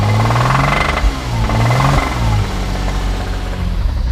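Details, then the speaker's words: Porsche Boxster, 80,000 miles, bought sight unseen, held around 1900–2000 rpm before road test: hard, rapid knock over the engine drone; suspected rod knock, possibly something else. Empty antifreeze quart suggests coolant leak. "I don't know if you guys hear that, 2000 RPMs. I hear a rod knock."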